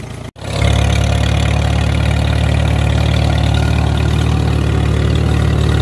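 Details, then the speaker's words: Farmall M tractor started after refitting the carburetor fuel bowl and inline filter: short crank, then a deep, steady, even run with no misses or knocks; running healthy, though it later quit from a poorly crimped wire. "I don't know. I mean, I think it runs pretty good."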